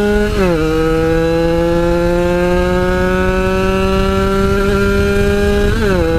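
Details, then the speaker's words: Yamaha RX-King two-stroke that stuttered at high rpm while riding, now fixed (a loose wire at the coil was re-soldered): it holds a clean, steady high buzz while riding, with brief throttle dips and recoveries and no stutter. "guys udah enggak ada brebetnya lagi di a"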